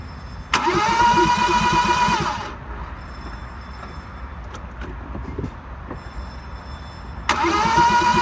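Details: Car cranking: two long bursts with steady starter whine and even compression beats, but the engine never catches; crank, no start.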